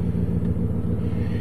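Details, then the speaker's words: Copart vehicle started after sitting dusty, check engine light on; steady even low rumble, no knocks or ticks, healthy idle. "does have a check engine light but it sounds good"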